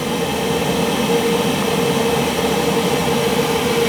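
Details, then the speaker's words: Gas boiler on a Sunday no-heat call after the control board was replaced and rewired: steady, even roar with constant fan and flame hum, no popping or rumble. Burner lit and firing cleanly. "I should take care of it quick than I should get houston we have ignition"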